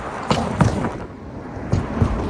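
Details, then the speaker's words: Tesla Model Y at about 30,000 miles: sharp metallic clunks from the front driver's side suspension, four in two seconds, as the wheel hits pavement gaps. The metal-on-metal sound persisted after a service visit at about 20,000 miles; cause unconfirmed. "And then the front driver's side developed kind of a metallic dunk dunk anytime I go over a gap in the pavement."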